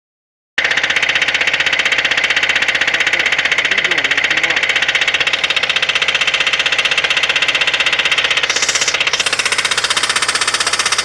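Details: VAZ 2109 engine at idle: sharp, regular tapping of about three per second over a steady idle; camshaft play was previously found and eliminated, owner wonders if that caused it; mechanical knock, cause undetermined.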